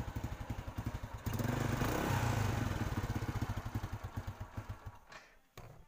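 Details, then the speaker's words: Motorcycle single-cylinder engine after a dead spark plug was revived and refitted. Regular soft thuds about four a second, steady, then fading as it settles. Normal idle with no misfire. "Oke bro, dan motornya atau businya kembali bisa hidup, bisa berfungsi ya."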